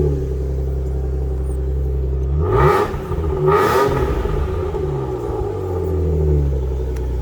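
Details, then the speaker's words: Finished Alfa Romeo GTV V6 light restoration with new cam belt and dual exhaust; starts, settles into even idle, two clean quick blips rising and falling smoothly, crisp exhaust note; normal start and rev. "beautiful exhaust so there we go guys I know the car is finished"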